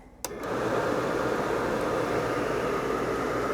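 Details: RV forced-air furnace blower kicks on with a thump, then settles into a smooth, even whoosh with no rattles, during a sail-switch test; the blower is running normally and the sail switch shows continuity in operation.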